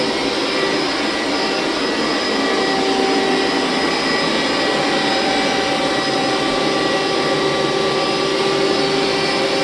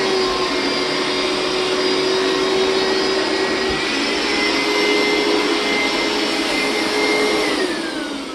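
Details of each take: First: Hoover SteamVac Widepath carpet extractor about 15–20 years old, doing a hot water pass: steady, even high-pitched suction roar; running normally, though the motor bearings may need replacing or re-greasing. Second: Hoover SteamVac Widepath carpet cleaner, about 20 years old: loud steady suction roar whose pitch shifts then drops away; this noise means the recovery tank is full and needs emptying.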